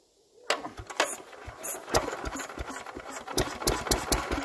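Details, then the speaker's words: Petter W1H single-cylinder petrol engine started once carb filled, before belt-starting a Lister D unrun for 40 years: uneven pops settle into a light, regular single-cylinder beat that picks up; engine fires and keeps running. "so once our carb has filled up this one should start right up there we go come on"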